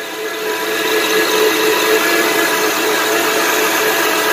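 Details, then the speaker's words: 2007 Honda Pilot 4x4 just started on a new Duracell AGM battery at 13.21 V: steady whirring hiss with faint constant tone over idle, something sounds different; alternator found not charging, worn alternator bearing noise. "Alright, where's the, well, there's no charging indicator on, so that's a good sign. Something sounds different."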